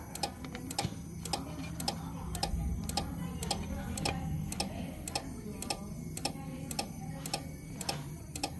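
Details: Old Jetmac III welder: sharp, fairly regular ticks about twice a second over a low hum while the unit and its LCD keep cycling on and off; cause unknown.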